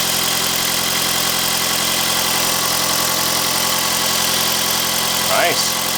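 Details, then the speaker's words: 2009 Toyota Camry Hybrid (codes P0A0F, P3190) after catalytic converter replacement with Magnaflow exhaust, checked for leaks: even steady run with constant hum, no puffing, ticking or hissing at pipes; no exhaust leak. "listen to this magnaflow exhaust baby wait for it wait for it [Music] oh quiet let's go check the leaks"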